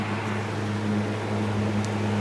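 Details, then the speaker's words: Small Fasco fan after motor rewiring and reassembly, grill refitted, running on medium: smooth steady hum with even airflow rush, no rattle, ticking or scraping; speeds usually more pronounced once coil warms; healthy. "we can those usually the speeds get a little more pronounced when the coil itself is warmed up"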